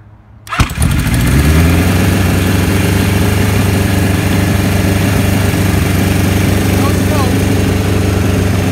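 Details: 1975 Kawasaki Z1 900 four, 23,000 miles, first run after rebuild with carbs done: catches at once and settles into a fast even idle that stays high; carbs need adjusting down, charging system also not working.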